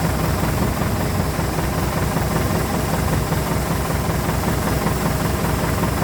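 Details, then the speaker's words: Massey Ferguson MF40 combine harvester with Valmet six-cylinder diesel, back harvesting after sitting three years and repairs (elevator chain tightened, reel lift connection fixed): deep, steady drone at even working speed, no knocks or misses; normal running. "Just listen to that Valmet 6-cylinder. Oh, what a sweet sound. That thing is running so beautifully."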